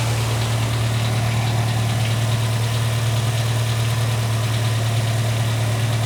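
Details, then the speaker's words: 2007 VW Gol G4 1.0 8v flex, about 61,576 km, at cold idle: steady low drone with a faint, uneven knock underneath, heard for about two months since switching to 5W40 synthetic oil; suspected piston slap or wrist-pin wear, not confirmed. "eu vou dar a partida no carro para você perceber que ele está apresentando um barulho no motor"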